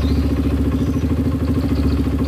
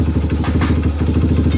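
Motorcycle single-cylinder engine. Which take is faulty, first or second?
second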